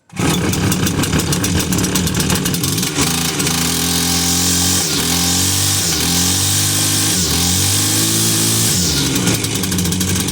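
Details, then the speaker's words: Husqvarna 345r brush cutter, unused all winter, after a new plug and priming the cylinder with fuel: it catches at once and runs with crisp, smooth revs rising and falling; normal running. "that was because it's been sitting all winter i've been studying for so long and what i did there now just brought it back to life"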